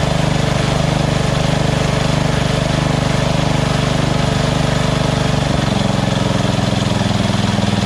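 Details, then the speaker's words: Small single-cylinder engine at lowest idle setting after the surging carb was replaced with a Chinese-copy Nikki 590399, O-ring manifold and backward curved fuel nozzle: steady thumping beat, no hunting or surging; stable idle. "so this is on the lowest idle right here go even lower if i wanted to that's it that's the highest so awesome"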